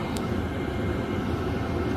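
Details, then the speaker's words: Chinese diesel heater fitted in a small van, two years in use, at top speed during its startup cycle blowing hot air: steady loud roaring rush like a jet, with no knocks or rattles. It is running normally at full speed. "as you'll hear it's quite quite noisy sounds like an airplane back take off it's lovely and hot now though"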